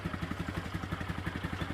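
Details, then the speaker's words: Neglected ATV that sat unused, just started with a fresh battery: steady even single-cylinder putter, no misses or knocks, no heavy smoke; apparently just needed a battery; normal idle. "Seems to be idling good. I don't know. It's shocking."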